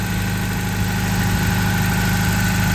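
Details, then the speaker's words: Toyota 22RE replacement long block from a '92 with newly fitted power steering pump and brackets, truck at 204,138 miles: steady even idle, low rumble, no belt squeal or chirp; belts quiet, steering feels light. "no spool from the belts I'm gonna check the power steering as much as I can with the club on feels light nice"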